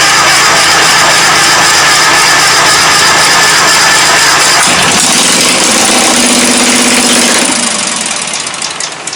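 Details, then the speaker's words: 1997 Craftsman GT 6000 lawn tractor, Kohler 18hp 691cc opposed twin, stuck cylinder soaked in ATF; catches and runs rough but steady on fuel poured into the intake, then dies as it runs out. "This thing actually seems to run okay once it bumps off with the gas that I, bottle feed down the throat, but besides that, not too bad actually."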